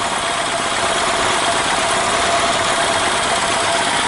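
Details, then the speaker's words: EZGO Workhorse golf cart with Robin ST350 engine after carburetor clean and starter change: engine settles into a steady, even idle after choke-on cold start, no surging, misfire or knock; a nice-running little engine. "well that that's a nice running Little Engine anyway so I got to get this kind of sorted out"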